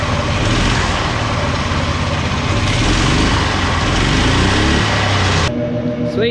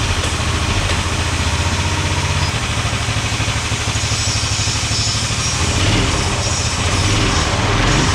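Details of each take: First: 18 hp go-kart small engine, throttle return spring refitted: revs and runs smooth with a steady beat, then settles to idle; nothing rattling or hunting, idles fine and stops on its own. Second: 18 hp go-kart engine after replacing a spring with heavy wire: small engine buzzes at a raised, uneven speed and never drops to idle because the throttle return spring popped off, cause unclear, likely not fitted securely.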